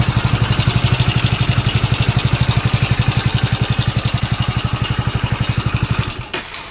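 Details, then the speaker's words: Hero Splendor BS6 single-cylinder engine at idle, before repair: rough steady thump with a dry metallic rattle from a worn timing chain; noise has become very bad, so the timing chain kit is to be replaced entirely. "তো এই আওয়াজটা এত পরিমাণে খারাপ হয়ে গেছে, Splendor আওয়াজ শুনতে কত সুন্দর তোমরা অবশ্যই জানো। তো আওয়াজটা ঠিক করতে গেলে আমাদের এই মুহূর্তে কী করতে হবে, টাইমিং চেনটার কিটটা কিন্তু টোটালি ফেলে দিতে হবে, ঠিক আছে।"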